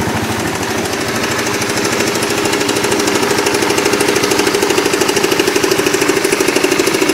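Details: Motorbike ("Oscar") engine with a klotok-klotok clatter present for almost a year: a clear, metallic, steady clatter of roughly three knocks a second over the idle, which later went away.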